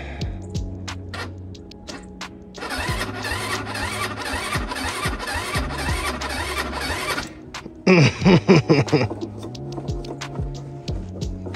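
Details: Chinese scooter not started in a while, electric start on battery: two long bursts of starter churning with no catch, then a short strained grind, engine never fires; cause not identified.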